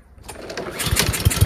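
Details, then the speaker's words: Troy-Bilt TB240 self-propelled mower with Honda engine, after carburetor cleaning, engine hot: catches and settles into a steady, even beat with strong low thump and no misses; now running properly. "so there you go it runs really well now"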